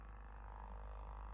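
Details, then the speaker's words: Cerwin-Vega E-208 woofer, about 25 years old, with rotted surround foam detached from the basket, driven by a tone generator at about 50 Hz: a steady hum with fluttery buzz and resonance, before refoaming. "that will Drive the cone in a normal fashion but since the outer foam is not attached to the basket we're going to get quite a bit of Jitter and flutter and you're going to hear some resonance"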